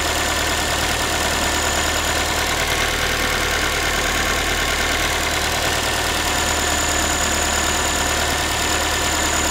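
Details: Ford Focus 3, 1.6 engine (125 hp), steady idle after a cold start: a fast, tinny, pan-like metallic chatter rides over the engine. The owner is asking what it is, and the source is unknown.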